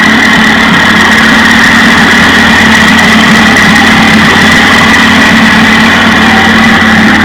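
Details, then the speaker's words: 1956 Johnson 15 HP two-stroke outboard after replacing the points on the misfiring top cylinder, which had no spark. Crisp, even buzz with no stumbles or skipped beats, as both cylinders fire cleanly: normal running after the repair. "all right so together joshua and i changed the points on the top cylinder that was misfiring and that puppy runs good"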